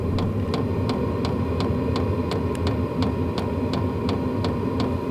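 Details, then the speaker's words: Vevor diesel heater running after start-up, fan speed increased by remote: steady low roar with crisp fuel pump tick about three times a second; burning evenly, running normally. "But wow, you can tell that thing is going now."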